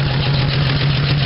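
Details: 1975 Dodge D100 with Slant 6 at idle, suspected running on five cylinders; stumbling irregular beat with light metallic top-end clatter; owner suspects plug or valve, cause not pinned down; misfire with top-end clanking.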